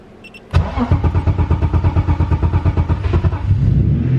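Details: BMW E36 with M50B30 turbo engine, first start after heavy-duty clutch install and coil pack refit, oil pressure built first: starter cranks evenly about three seconds, then catches cleanly into a steady idle; normal.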